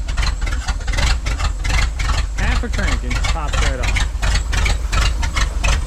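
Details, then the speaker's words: Ford dump truck bought at auction, started after fixes: it catches almost instantly and settles into a steady, even low idle with good oil pressure and no knocks or misses. It runs healthy. "well I mean that answers the question does it run yeah yeah it does 300 bucks man can't go wrong"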